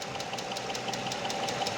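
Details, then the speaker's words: Mercedes M119 V8 at idle: light, quick, even ticking over a smooth idle from a dried-out hydraulic lifter on one side. This is said to be harmless and simply fixed by replacing a cap-type part. "То есть Не пугайтесь если на м119 есть такой звук гидрокомпенсатора подсохший"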